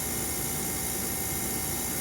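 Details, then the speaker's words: Small refrigerator compressor being converted to a pond aerator, amp draw measured with a multimeter: steady even motor hum with a constant airy hiss, no rattle, knock or labouring. Running normally. "now what i'm going to do is i'm going to put it in here and you can hear the motor took off and right now we got 12.4"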